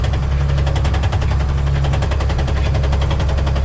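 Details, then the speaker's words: 1990 International 4700 dump truck with Spicer ES42-5D 5-speed, pulling in low gear: fast even knocking over diesel rumble, stops in fifth; suspected input shaft bearing, actually missing teeth on countershaft drive gear, replaced. "So you can hear that knocking. It sounds like a motor knock, but it's not. As a matter of fact, when you're in fifth gear, it completely stops knocking."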